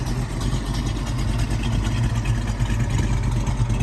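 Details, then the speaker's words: Restored numbers-matching 1970 Ford Mustang Boss 302, original carburetor, in neutral, fires right up: deep, lumpy V8 burble holding a steady idle with no misses, knocks or ticks; normal idle. "Cool natured, fires right up."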